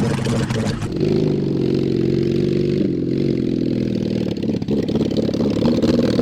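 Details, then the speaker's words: Mid-1970s Honda CB750 SOHC four in 1980s Suzuki Quad Sport 230, open pipes, first gear on first ride: revs unevenly, stumbles and bogs as throttle opens; suspected carburetor fueling, exhaust or worn points ignition. "so if i could get the throttle to work like it's supposed to like the carburetors take the fuel yeah and and and just go it seemed like you had one or two kind of clear yeah it it occasionally it would clear out and want to go"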